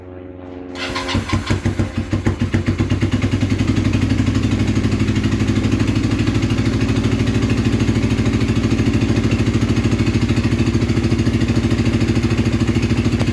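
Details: Kawasaki KZ440 project bike, new spark plugs: catches after a few churning turns then settles into an uneven, lumpy beat that never smooths out; rough running, carburetors wildly out of tune per owner.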